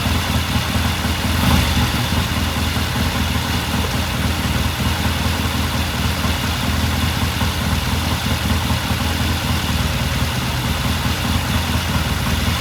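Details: 1969 Triumph TR6 vintage British motorcycle, pilot jet cleaned and pilot air screw turned in half a turn for a richer starting circuit; warmed up after a cold start, a steady even idle burble holds without misses or hunting: normal warm idle.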